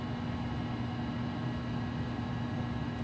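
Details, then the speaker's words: Macintosh 512K internal MFM hard drive after reset, booting to happy Mac from the hard drive: steady even hum with low drone, no clicks or scraping; normal spin-up and boot. "god we have a happy Mac it's booting off the hard drive"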